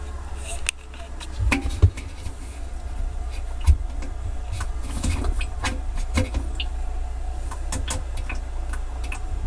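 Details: Kenmore Elite HE3 front-load washer, model 110.44826300, drum spinning: low rumble with sharp plastic-like clicks, 2 per revolution, faster at higher spin speed and also felt turning by hand; springs, shocks and belt checked fine.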